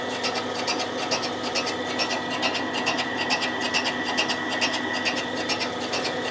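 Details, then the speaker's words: Boring a badly worn Yamaha CT-3 175 Enduro cylinder: crisp even ticking about twice a second over cutting hiss as the bar passes the transfer ports; interrupted boring cut. "we're just down to the transfers now you can hear the interrupted cut"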